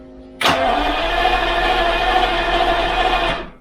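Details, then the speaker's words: Jaguar XJS V12, cylinder number three cranked with compression gauge fitted, ignition and fuel disconnected: about three seconds of even, unbroken cranking rhythm with no dragging strokes; about 180 psi, so compression is normal and not the cause of poor running. "we got like 180 psi so okay good that is not the issue"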